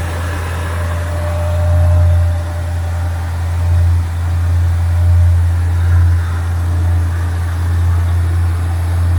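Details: 1965 Chevrolet Impala convertible with new Chevrolet 350 crate V8 and Muncie 4-speed, cold start with choke set: deep steady rumble with slight rise and fall in idle speed, no knocks or misfires; healthy.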